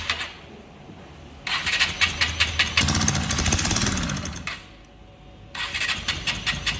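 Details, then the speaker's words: Honda XR 150L motorcycle consuming oil, top-end noise began after riding 22 km; oil found burnt and poor quality under the head: cranks and fires in bursts with sharp, fast metallic ticking over the exhaust beat, top-end noise. "Bueno muchachos, esa XR nos acaba de llegar, así como la acabo de ver el video, tiene un sonido extraño, un ruido que es producido por la cabeza de fuerza."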